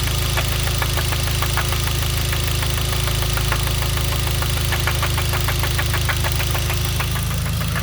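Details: Hyundai Genesis 2.0T at steady idle with sharp, evenly spaced knocks about three per second; spun rod bearing from oil starvation blamed on a poorly made oil pump. Oil light, oil pressure light and knock sensor never warned, no limp mode.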